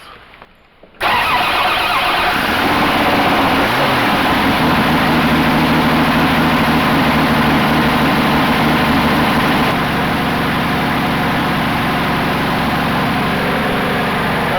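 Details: 1980 Dodge D150 pickup after replacing a bad starter with a high-torque Dodge Dakota mini starter: cranks and catches almost at once, settling into a strong, steady, slightly high idle; normal start.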